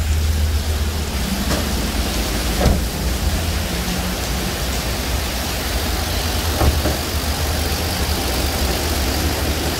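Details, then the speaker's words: Car idling with AC running and still cold: steady low snoring drone from a noisy, worn piston-type AC compressor. "bilangnya suara ngorok ya"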